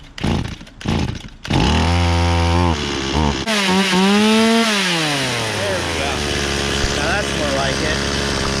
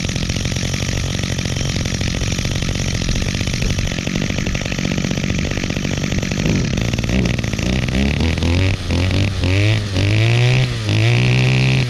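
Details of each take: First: Stihl 018C 32cc chainsaw, sat unused for a year, restarted on choke: sputtering attempts, then it catches and holds a clear buzz that climbs and settles with the throttle; running. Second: Two-stroke string trimmer repaired last year: buzzy note revs then sags repeatedly, pitch dipping and recovering every second or so as the throttle is blipped; still bogs out under throttle at times, though otherwise runs well.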